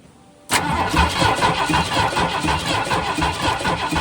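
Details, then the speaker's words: 1972 Ford F100 with new ignition parts, running on a borrowed battery: the starter spins the engine steadily at about four pulses a second with no firing, so it cranks but won't start; spark is to be checked next, cause unconfirmed. "All right. I think we need to check for spark. So, we'll get on that."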